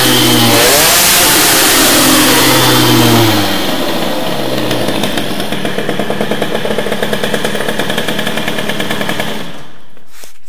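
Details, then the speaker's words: Teknix T6 two-stroke with BOOST cylinder head, main jet lowered after running rich, crisp rasp rises with throttle then holds a steady, even fast beat; it sounds much better and revs cleanly. "Déjà, je vous le dis, ça pète mieux. Ça sonne mieux déjà. Ça sonne déjà beaucoup mieux."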